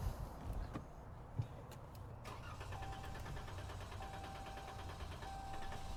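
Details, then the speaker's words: 2023 Ram 1500 3.6L Pentastar, restart after throttle body cleaning: brief crank then slightly uneven low idle, rough at first as cleaner burns off, expected to clear in 5–10 minutes; rough idle after cleaning. "So, I don't know if you were able to hear it, but it was running rough at the at the very beginning. And that's what is to be expected when you're doing the throttle body cleaning."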